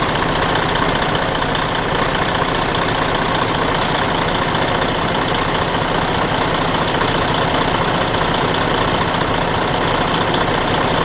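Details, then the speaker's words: Detroit DD13 heavy diesel idling after camshaft replacement and valve adjustment: an even, steady clatter with no off-beat knock, so it now runs normally. The damaged camshaft had caused a loud out-of-time noise before the repair. "si pueden escuchar la diferencia en el sonido del motor ya una vez ha sido reparado lo pueden comparar como sonaba antes"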